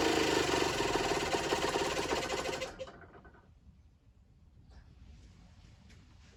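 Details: Generic Trigger SM 50cc two-stroke on a temporary fuel tub with a stiff old throttle cable: loud uneven buzz for under three seconds, then falls away sharply, unable to hold revs. Owner suspects an air leak, later found at the intake manifold, plus blocked jets.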